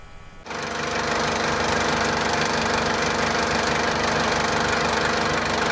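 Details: 2004 JCB 2CX (212S) with Perkins Tier 2 diesel, started from the cab after the electric lift pump was replaced: it catches within a second and settles into a steady, even idle clatter with no misses. The sediment bowl now stays full of fuel. Normal diesel idle.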